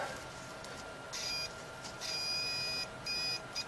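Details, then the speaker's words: Multimeter continuity check before testing the UK plug fuse of a 1980s industrial hand blender: several clean, steady high-pitched beeps; meter buzzer working. "yeah that's working all right we'll test that fuse"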